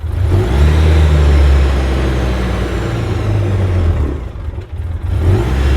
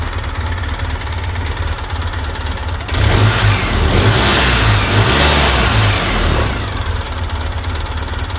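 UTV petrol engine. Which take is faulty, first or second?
first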